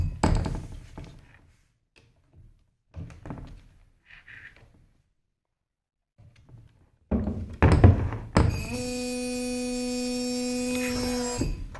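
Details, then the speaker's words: Shruti box G reed buzzing because its tongue touches the frame surface; after pushing the tongue to the left, a held note with a raspy buzzing edge, still buzzing. "this is making budging sound because of the the tongue touching the surface"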